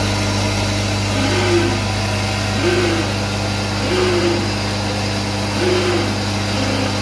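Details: SCM Minimax S45n, which also has a power cutout problem: steady motor hum with a whirring swell recurring roughly every second and a half; strange running noise, cause unknown.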